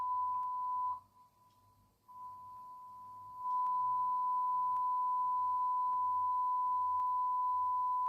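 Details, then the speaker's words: Fender Blues Deluxe Reissue (2015) after recap, open first-node filter cap replaced, brought up on a bulb limiter: adding a 60 W bulb to the 40 W; clean steady tone jumps louder, no hum; normal. "We'll put another 60 watt bulb in with the 40. That'll take us up to 100. You can hear the volume come up straight away on there."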